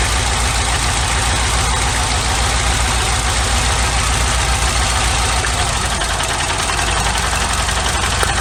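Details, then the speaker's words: 1991 Nissan Sentra B13 GA16DE, no fault codes: uneven, lumpy idle with a stumbling exhaust beat from a steady misfire on cylinder 2; pulling its plug wire changes nothing, so a dead fuel injector is suspected, not the wire. "and i still had it missing on number two at idle you could still pull a spark plug wire this one and have it dead so that points to it not being the wire at all and it's probably a fuel injector"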